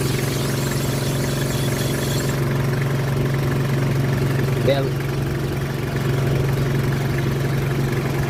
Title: squeaky sound #belt #car #engine #mechanic